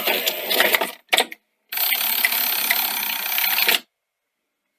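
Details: Sony SL-C9 Betamax front-loading mechanism after repair: the machine wasn't loading and had nearly been written off. A short motor whirr, a pause, then a smooth run with soft clicks and a clean stop, so tape loading is now working normally.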